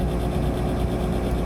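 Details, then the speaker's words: Gas furnace blower motor running on thermostat call, capacitor tested near spec; steady low laboured hum as the worn motor struggles to reach and hold speed before shutting off. Owner suspects worn motor needing rebuild or lubrication. "I think what's going on is the fan is struggling to get up to speed and to stay up to speed um because I think it's just worn out"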